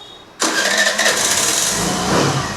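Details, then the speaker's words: Access 125 BS6 scooter that was hard-starting and stalling, after reconnection: quick catch after a short crank, then an even light-toned idle that holds steady; idle screw then raised slightly. "ఇప్పుడు బండి start చేద్దాం మనం start చెయ్ okay బండి అయితే start [సంగీతం] అవుతుంది బండి అయితే స్టార్ట్ చేసింది"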